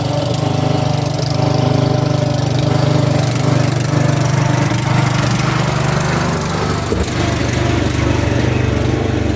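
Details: Ariens/Husqvarna garden tractor single-cylinder after carburetor, intake manifold, head gasket and flywheel replacement: steady, fairly even fast idle, smooth with no knocks or misses, running cleanly.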